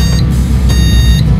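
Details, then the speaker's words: PC with an Intel LGA 775 board booting with no RAM installed: long repeating motherboard beeps signal the CPU is working but no memory is installed. "Um beritahukan bunyi seperti memberitahukan bahwa memori tidak terpasang"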